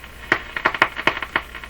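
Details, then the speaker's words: Nordmende Boheme C tube radio after replacing four capacitors, with tuning capacitor plates or grounding suspected: sharp irregular pops and crackles through a quiet background; crackling output, cause unconfirmed. "not good still not good can't short wave probably oops whoops looks crazy on the line he wants more volume let's found that out not happy over here all crackly"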